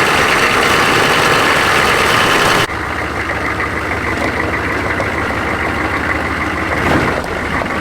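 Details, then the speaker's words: 1996 Chevrolet Silverado 6.5 L turbo diesel, 4WD, after fitting a cheap eBay turbo: loud harsh chuffing over heavy idle at startup, about three pulses a second, then quieter; exhaust leaking at the turbo, soot inside heat shield. "yeah you guys got to hear this thing start up it sounds terrible"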